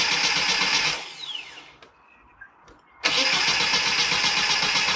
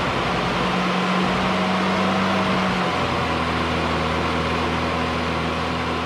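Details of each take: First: 1990 Mini ERA Turbo (262,000 miles) cranking on a newly fitted carb: starter whirs about four turns a second, pauses, cranks again without catching; engine flooded with fuel, no start. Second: 1990 Mini ERA Turbo (262,000 miles) idling after a new carb was fitted, 20W-50 oil topped up and the oil pump re-primed: steady even hum, no tapping or rattle from the top end; oil pressure and running sound normal.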